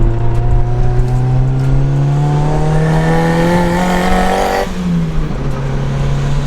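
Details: Turbo Mazda MX5 with new engine mounts after a screamer pipe snapped, pulling hard on the road. The pitch climbs steadily and cleanly through the revs before a quick shift. A healthy turbo engine under acceleration.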